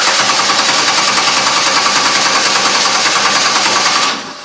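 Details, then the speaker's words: 2003 Chevrolet Impala with P0305 cylinder 5 misfire code, cranking in clear-flood mode with pedal floored: steady, even cranking about three pulses a second, no difference between cylinders, suggesting no valvetrain or compression fault. "I hear any difference there between cylinders that's a good thing it probably means we don't have a mechanical issue it's not something in the valvetrain or compression issue sounds good"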